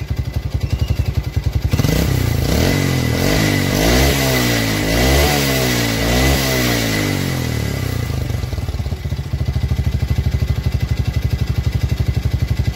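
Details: Yamaha Vega R new single-cylinder four-stroke with a rough, ticking engine and very thick exhaust smoke: idle breaks into rough clattering when revved and knocks sharper under throttle. Piston slap; piston to be replaced.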